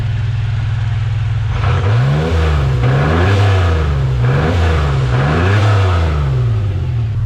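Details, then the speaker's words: Camaro V6 running again after gas tank refit, no exhaust fitted yet: raw, loud barking through repeated rev blips, pitch climbing and falling each time with no muffling; open exhaust, no silencer. "The thing runs now. The gas tank's all in it. No leaks. No exhaust yet. I'm going to put a piece of pipe on it with a cherry bomb."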